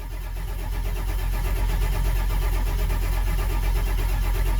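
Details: Ford F-550 Power Stroke diesel after fixing a no-start caused by a leaking high-pressure oil poppet valve/O-ring that prevented pressure build-up: deep, even rumble builds quickly to a steady beat near three per second, starting and running cleanly.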